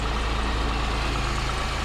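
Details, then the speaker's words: 2005 Pontiac Grand Prix 3800 Series III, 235,000 miles, after lower intake manifold gasket and water pump gasket replacement: steady, even low idle with smooth rumble and no knocks or stumbles, no leaks; alternator pulley squeak noted earlier. "but she's idling good sounds great everything is no leaks"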